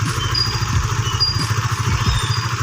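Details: Honda Sonic 150 (LED, K56) single-cylinder idling evenly with a regular thump, no knocks or misses, after a homemade repair of the oil-starvation-worn camshaft cap, now lasting over two years at 70–80 km/h use; normal idle.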